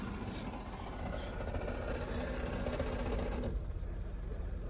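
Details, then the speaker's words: Holden VY Commodore manual, sat for years, first idle with no radiator: rattling whir on top of idle drops away once the clutch is pressed; engine fine, noise is in the gearbox. "Look at that. Put your foot on the clutch, it shuts up. That's great news."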